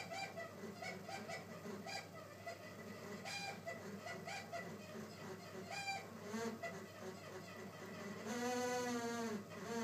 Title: Air conditioner sounds like a dying chicken-monkey-hyena